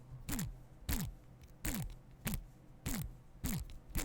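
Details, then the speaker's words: Model airplane electric motor, removed and spun by hand: each spin is a falling whir with a dry, rough rattle as it slows; the motor is worn out and will be replaced with a Cobra 2814; rattle when spun. "it is properly shot so I am going to pledge the magnets out of there that's for sure and um knit the bullets off the end and then it's going to go in the filing cabinet the noise on it was absolutely horrific"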